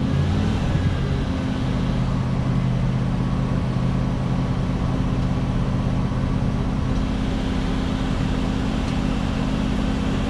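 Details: 1967 Ford Galaxie 500 with 289 Ford V8, first start for break-in: steady, even low rumble at idle with no misses or knocks, runs real smooth; normal idle.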